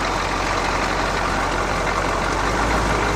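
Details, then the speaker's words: CUCV 6.2/6.5 diesel after the fast idle solenoid released, engine warm; even, steady diesel clatter with a low rumble, earlier rattle gone and engine didn't stall; normal idle. "engine smooth as can be that rattle is gone but it didn't die"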